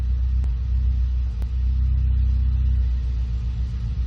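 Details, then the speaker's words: 2014 Ford Focus ST 2.0L EcoBoost at cold-start idle: lumpy low rumble with sharp pops breaking the rhythm; cylinders 2 and 4 misfiring; cold start misfire. "And you can actually hear it misfiring. You don't even need a scan tool. Hear it? Hear those pops like that? That's that misfiring."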